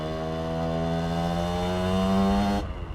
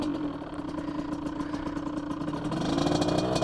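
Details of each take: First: 2003 Aprilia RX50 two-stroke taken to 85cc, fat pipe, stock ignition, after jetting changes and raising the carb needle: crisp steady buzz rising smoothly and backing off with clean pickup, no bogging or stutter; running much better. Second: 2003 Aprilia RX50 two-stroke bored to 85cc, fat pipe, stock ignition, slightly warm, pilot jet down two sizes: now starts without cracking the throttle and settles into a slightly burbly, uneven idle with soft blips; still slightly rich, smoother throttle response.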